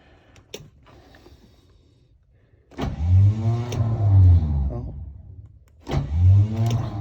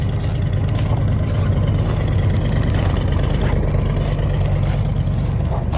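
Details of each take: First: Chevy 454, cold start attempt #3 at about -28°C (feels mid-upper -30s), battery recharged after dying and engine plugged in 1.5 hours; heavy, slow, labouring crank in two long bursts with low groaning sweeps, starter dragging in deep cold. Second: 1976 Chevy 454 big block cold start at about -28 to -35°C after block heater and charged battery, on roughly 3-year-old fuel: deep steady low rumble at an even cold idle with no misses, knocks or ticks.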